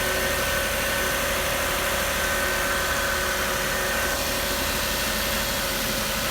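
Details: 2006 Lexus RX330 V6, started after replacing the high-pressure power steering hose: settles into a smooth, even idle with a steady hum and no knocks, misses or squeals; the front end sounds good.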